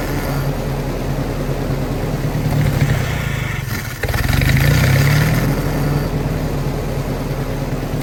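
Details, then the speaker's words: Willys-powered 120/240V 52 A Army skid generator, electric fuel pump, fresh fuel: catches after a short gap into steady, slightly uneven chugging run; starts and runs, but only with choke held on, carburetor rebuild planned. "it runs and i see why the previous owner had this wire on here if you trace this sucker back if you hook it up here it holds the choke on so the gentleman was telling the truth it did run but only if you held the choke on"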